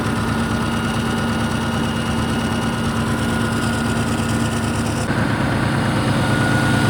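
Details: Caterpillar 3412 V12 industrial diesel, sat for years, coolant refilled and excess wiring stripped, warming up after first start: a steady, even idle with a smooth low drone and no knocks or misses; runs well despite being worn.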